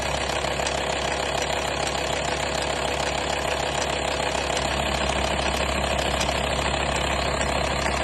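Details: 2004 VW T5 2.5 AXD diesel idling with a light, regular metallic rattle about three per second over the clatter, described as chain-like; engine rattle at idle.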